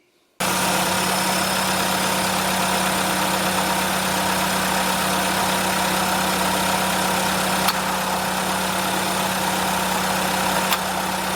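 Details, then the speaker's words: Six-month-old Volkswagen Golf with an intermittent AC fault since new and a properly filled system, mic near the compressor: steady idle hum with sharp clutch clicks as the AC switches, but no load change and no cold air. The compressor is not pumping. "We got a fairly new car with a properly filled AC system. It sounds like the compressor is kicking in, but we're not getting any cold air."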